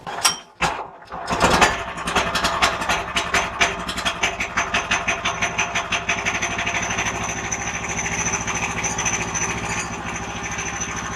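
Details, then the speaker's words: Woodland Mills sawmill engine pull-started with half a tank, idle set too high so the centrifugal clutch engages on the power stroke with faint pinging that wears the clutch; sharp metallic pings fade as it settles, before turning idle down. "high idle engages the centrifugal clutch on the power stroke and it goes ping ping ping ping ping at a frequency I can hardly hear but it wears out the clutch"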